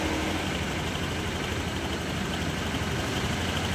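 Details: Honda Click 125 scooter that only cranked without starting, after replacing the failed ignition coil: engine starts one click and idles with steady low putter, no misses or knocks — normal idle.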